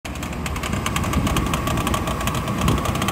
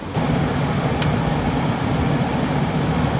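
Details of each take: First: 24-year-old Chevrolet Astro camper van idling with air conditioning on: quick light clatter about six taps a second from the belt area; worn fan belt tensioner or idler pulley, replaced. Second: 24-year-old Chevrolet Astro camper van, after replacing fan belt, tensioner and idler pulley to cure a clatter with A/C on: steady even idle with A/C running, no clatter or chirp from the belt side; normal running with A/C on.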